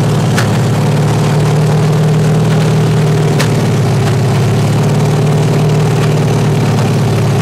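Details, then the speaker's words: 383 stroker V8 with 1.6:1 roller rockers on open headers after first fire, run at 2000-2200 rpm, warmed to 210 on water; loud lumpy idle with uneven beat and spits, all 8 cylinders hitting but tight valves still sticking open; rough idle. "But definitely I got some valves still sticking open a little bit anyway, and I don't want to burn them up. So, but all 8 cylinders are hitting, and yeah."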